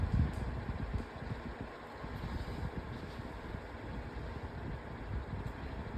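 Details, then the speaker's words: Pedestal fan on low speed, described as very quiet, with a broken oscillator: a low hum with a loose, uneven rattle through its steady whoosh, and the fan shaking a lot; fan rattle. "Guys can hear the fan is rattling. And it is shaking a lot, too."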